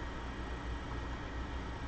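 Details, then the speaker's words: MacBook Pro 820-2915 board with dead GPU, after EFI mod, running on integrated graphics and sometimes shutting off right away: constant loud airy fan rush with no letup, like a fighter jet, laptop probably very hot. Fan running at full speed. "This thing sounds like a fighter jet, and it's probably hot enough to burn you."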